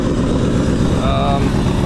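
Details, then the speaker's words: 2004 Jeep WJ 4.7L first start after head and timing cover install, no accessories, no coolant, on battery power, exhaust not bolted on: very loud raw rapid blatting idle; exhaust leak. "it's got a massive exhaust leak since i don't have the exhaust bolted on uh the hayak i don't know it it sounds okay ish i think obviously sounds like a farm truck but this is the first time i've ever heard this thing run"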